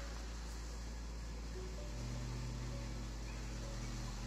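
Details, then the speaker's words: VW Passat B5 1.8 20V at a steady, smooth idle after the fix. The fuel pump had not energized with the ignition on, only while cranking; the engine now starts first time. "za pierwszym razem kurde bardzo dobra robota chociaż nie spodziewałem się że to będzie miało coś wspólnego z pompą paliwa"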